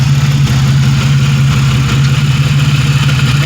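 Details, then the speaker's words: 1997 Pontiac Grand Prix GTP coupe idling before its planned oil change: a low, steady idle thrum with even firing pulses and no misses or knocks; normal, healthy idle. "sounds good i am going to end up doing the oil change on itself with my kn filter and that mobile world since i'm driving this and it's good and it's running"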